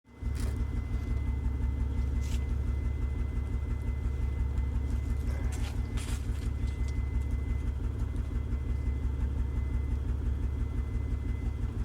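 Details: Base 1995 Mitsubishi 3000GT V6 at idle: deep, uneven exhaust flutter pulsing about three times a second, sometimes running rough at idle and driving, no engine light; misfire suspected, not confirmed.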